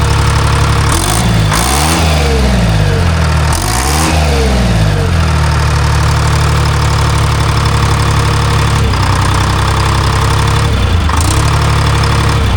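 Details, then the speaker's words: Diesel engine in a Timberjack skidder after replacing a faulty N50 injector; firm idle then two clean blips up and back down without misses, running healthy. "I ain't mad at that. No. Sounds good."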